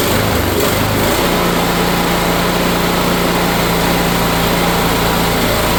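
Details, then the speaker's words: Kohler engine on a Cub Cadet mower, sat years with a mouse nest, after carburetor cleaning and fresh fuel: a couple of starter pulls, then catches and settles into a steady even hum. "after cleaning the carburetor getting rid of some mild gel things in there some fresh fuel she actually fires right up with the temporary patches I made"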